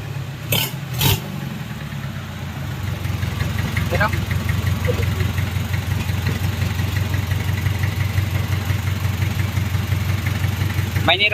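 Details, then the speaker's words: Just-rebuilt Mitsubishi 4D30 100PS diesel (timing gears, injection pump and cylinder head newly installed, oil cooler O-ring replaced) running without coolant yet: steady, even clatter with a clean low rumble, no knocks or misses; throttle response healthy, normal running. "Oke, sudah berjalan. Ini masih beroperasi"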